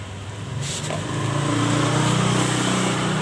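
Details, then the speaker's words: Honda Vario Techno 125 FI scooter with the CVT fully removed: harsh, rough rattle over the rising idle from the bare engine; suspected loose piston or worn connecting rod. "ini tanpa cpti bunyi kasarnya masih ada berarti ini motor yang kena atau yang rusak di bagian mesinnya di antaranya bisa dari Seher yang udah longgar atau dari Setang Seher yang oblak"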